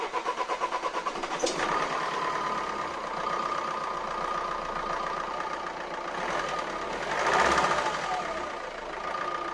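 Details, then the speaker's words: Renault Scenic 1.9 dCi 120 hp overhead-cam diesel with hydraulic tappets, injectors recently replaced, idling; sharp metallic clack rides steadily over the combustion clatter, persisting after valve clearances checked good (just under 0.20 mm intake, 0.45 mm exhaust); knock source not found. "bon finalement je n'ai pas réglé le problème j'ai toujours se claquent au vent et ça c'est pas bon signe"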